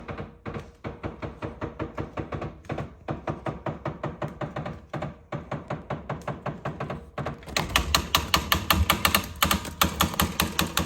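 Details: LG refrigerator, model LRFVC2406S: sharp, fairly even loud clicks about two and a half per second, getting louder toward the end. Cause not evident.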